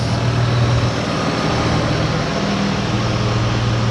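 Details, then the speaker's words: 2004 Ford Escape 3.0L V6 after head gaskets, timing cover, oil pan and makeshift exhaust repair: steady even low hum at idle, no knocks, ticks or misses; exhaust sounds good, drives with no issues or leaks. "there exhaust sounds good um we did take it on a drive everything drives great no issues no leaks"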